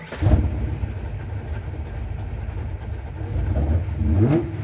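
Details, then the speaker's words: Carbureted car after adding an inline electric fuel pump to help prime the manual pump and fixing earlier leaks at the fuel sump hose and filter. Engine blips cleanly, holds a smooth even idle and revs again without misfire; fuel delivery healthy, no leaks. "And it's ready to rock and roll. It's working well and most importantly, nothing's wet. There are no leaks."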